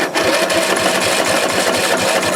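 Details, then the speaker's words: Free dump-salvaged LT1000 lawn tractor engine cranking with no carburetor fitted: fast, even chuffing with no firing as air puffs out of intake and exhaust. "Okay, it cranks. I hear puffing out of the intake and exhaust, so let's give it no carburetor, but give it a little of this stuff."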